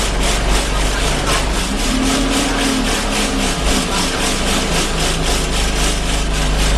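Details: Arriva Yorkshire Alexander Dennis Enviro 200 bus 1065 (YJ09 CVD) under way on service 283, Bradford to Batley: a rhythmic heavy throb of nearly four beats a second over the diesel drone, a loud vibration of undetermined source.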